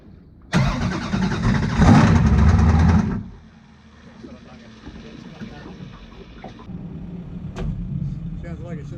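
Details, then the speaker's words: 434 cubic inch Chev twin-turbo methanol V8 jet sprint boat before repair: hard bark, then rough idle with uneven knock about four per second; rod knock traced to collapsed oil filter, both turbos destroyed, crankshaft and rods damaged. "the day the knocking problem was we had a oil filter failure it was different to the filters we'd run in the past and it collapsed both turbos were totally stuffed"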